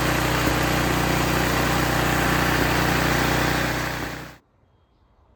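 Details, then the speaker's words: Curb-salvaged snowblower with a new carburetor and new fuel line, electric start: fires on one push, runs smooth and even at steady speed with no misses or knocks, then shuts off cleanly. Normal running. "okay so there you have it one push of the button and fired right off so it looks like that new carburetor is going to work fine"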